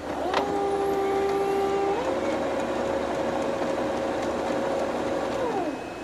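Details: Brother MFC-7220 multifunction laser printer powering up: steady motor whine that steps up in pitch, holds, then glides down as the mechanism cycles. Normal warm-up, with a toner-low message and a fan that runs constantly.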